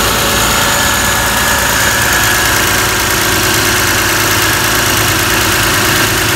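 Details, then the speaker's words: 2002-06 Toyota Camry 3.0L V6 idling during a PCV valve test, with the valve audibly clicking: a steady, even idle with no misses or knocks, only a light hiss; the engine runs normally. "so squid start this engine and let it idle a different field back you can actually even hear the valve chicken"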